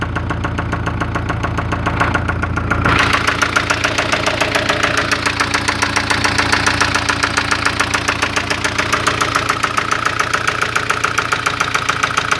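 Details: 1996 Spanish-built Ford Fiesta at idle: sharp, even tapping about three and a half per second over the motor, owner says engine very noisy; engine knocking, cause unknown.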